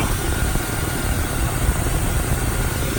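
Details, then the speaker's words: 2003 Chevrolet Silverado at Copart, hood open, likely sat a long time. Low even idle rumble, steady firing, no ticking or knocking; nice and quiet. Slight knock at first start went away quickly, probably from sitting. "nice and quiet engine. There's a little bit of kind of a knock sound at first, but that went away pretty quick, so probably just been sitting for a long time. Oh, this sounds good."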